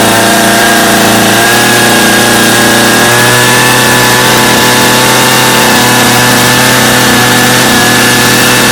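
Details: Customer's Stihl chainsaw after reassembly, original Bosch spark plug, started from full choke; smooth even two-stroke buzz at steady pitch, no misses or surging; idle a little high but otherwise running well with little carb adjustment needed.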